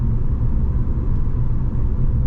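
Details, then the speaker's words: L67 3.8L supercharged V6 with M90, stock 5 psi boost, 4L60E automatic, cruising after extra fuel cured surging: only a soft, steady low rumble with no surging, knocks or whine; quiet and smooth. "I don't know if it's because I'm now in my mid-30s and I'm just like it's a car that doesn't make a lot of noise but"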